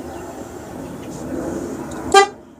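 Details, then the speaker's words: Motorcycle fitted with a car horn wired directly to the battery through a fuse, button on the handlebars; quiet idle then one short, very loud horn blast with a clear steady tone, horn working normally. "it has a car horn on it, and the horn's pretty goddamn fucking loud."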